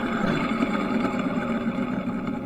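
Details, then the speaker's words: Ford 4.6L V8 with a bad water pump, heard with the engine running. A constant low growl and whir rides over the engine. This is belt tensioner pulley bearing noise. "now for some reason when it left the water pump was bad I knew this was making noise here's a little better look at the belt tensioner but I want you to listen to"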